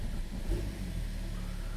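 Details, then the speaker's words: 2013 BMW 3 Series F30 N55, after fixing hard start/stall, now rough idle with slight misfire feel and no stored codes: low uneven wavering rumble from unmetered air (vacuum leak). "vamos a seguir adelante y ponerlo en marcha tiene un poco de un fallo de encendido vamos ver lo que no tenemos código de falla es hmm detectado se sintió como una carrera"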